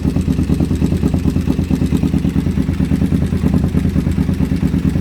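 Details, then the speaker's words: Used motorcycle on vacuum gauges before carb balancing: lumpy, uneven idle with a loping pulse about three beats a second, left and right banks drawing different vacuum; carburetors out of sync at idle. "this bank right here is the left side this one's the right side as you can see they're drawing different amounts of vacuum"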